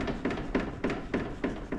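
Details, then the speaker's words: BMW F31 335d, car in the air, front wheel rocked: sharp, hollow knocks about three times a second from play at the end of the steering rack, also heard over rough ground; fix is replacing the rack end part. "if you've got an F chassis car and you've been for an MLT and you're getting advise on a little bit of play or a bit little bit of knocking as you're going over rough ground you might be able to hear it if I give it a"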